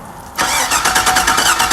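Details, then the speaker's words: 2001 Chevy Suburban cranking with key on: starter turns engine over with quick even pulses but it never fires; fuel pump not coming on, suspected bad pump or frayed wiring to pump, not confirmed. "okay fuel pump's not coming on so we think fuel pump is bad"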